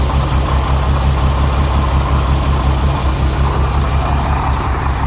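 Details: Renix Jeep Cherokee inline-six at start-up and idle: a rough, stumbling beat as cylinder 6 misfires because its exhaust valve rocker moves less than the others; backing off the rocker bolt later cured the miss.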